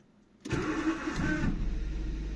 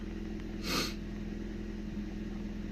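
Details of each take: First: 2002 Nissan Micra K11 1.0 litre manual petrol, restart after fuel filter replacement: short crank with rough whirring starter note, catches within a second and settles to idle; owner says the starter motor is noisy and worn and will probably replace it. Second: 2002 Nissan Micra K11 1.0 litre manual petrol, sluggish and lacking power, idling just after fuel filter replacement while fuel fills the new filter; steady, even idle with smooth low drone, no misses or knocks.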